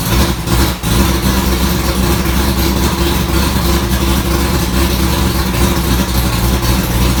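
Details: 1965 Ford Falcon race car V8 after first start following rewiring, transmission fluid being added: deep steady idle rumble with even beat, no knocks or misses; smoke only burning dust, running healthy.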